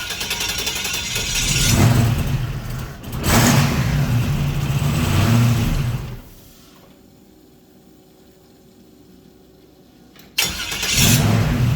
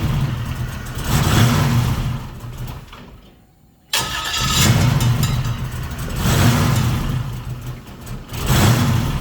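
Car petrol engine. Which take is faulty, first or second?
second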